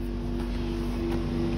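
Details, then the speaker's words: VW Touareg 3.0L CASA diesel (176 kW, EDC17CP14 ECU): steady, even rushing hum as the engine cooling fan runs flat out with the ignition on. The car won't crank or start, the engine light stays off, and the ECU has no communication; ECU damage is suspected. "ولاحظت انه المروحه عم تدور سريع، مروحه الموتور."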